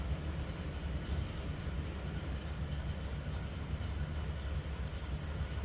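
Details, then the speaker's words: 1936 Ford Cabriolet, flathead V8 with a single carb, idling after startup with oil pressure coming right up: a soft, deep, even burble with no knocks or misses, purring along; normal idle. "Just purring right along."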